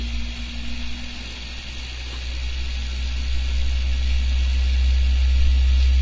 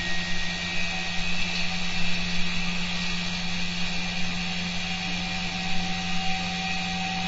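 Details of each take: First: Coil drag test rig spinning up; steady low drone building slightly with a rough hum underneath from one poor new bearing (from China) just fitted; noisy bearing. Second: Three-stage stepped-coil generator test on a draining battery: an 11-ohm resistive load is removed and the rotor spins up, steady electrical hum and whir creeping higher as RPM rises.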